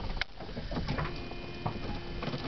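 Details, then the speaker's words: Nissan EXA converted to electric with a custom NiMH battery pack, during a test drive: a steady electric buzz with a faint even whine from the vacuum pump that supplies vacuum for the power brakes, no labouring; normal operation. "you can hear the noise of vacuum pump that creates a vacuum for our power"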